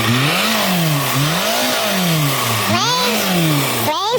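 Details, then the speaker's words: Mercedes C220 diesel revved repeatedly: thin whistle climbing and falling with each rev, with lots of smoke, from a big boost leak between the intercooler and its pipe. "whistling noises. Space. Oh. Uh-oh. Where does it come from? From down there. Lots of smoke. Must be a big leak. There is a leak between the cooler and this pipe."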